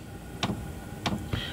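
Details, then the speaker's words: Chinese 5 kW diesel air heater in a motorhome, camera close to the burner unit, at startup: once the glow plug is up to temperature, the fuel dosing pump clicks evenly about every half second over a quiet fan hum, drawing about 10 A. Normal. "Now, once it's done all its preliminary checks and it's got the air out and the fresh air in and the glow plug is up to temperature, the fuel dosage pump cuts in, and that's the clicking that you can hear."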